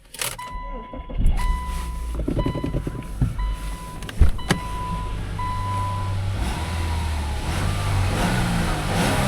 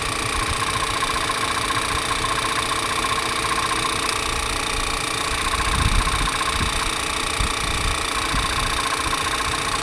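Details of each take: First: 2013 Toyota Avalon at auction: chimes and door noises, then engine catches and settles into a smooth, steady idle with no knocks or ticks; normal start, no codes. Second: 2013 Toyota Avalon at auction, MAP sensor code stored: steady idle with light tick; note changes when the oil dipstick is pulled, no visible blow-by; crankcase pressure suspected; front timing cover oil-soaked.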